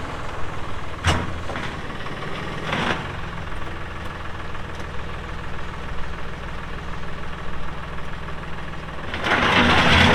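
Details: 2018 Massey Ferguson 2605H 4WD compact tractor, 310 hours: steady, even low diesel thrum with a couple of brief mechanical clatters and a rise near the end; normal healthy running.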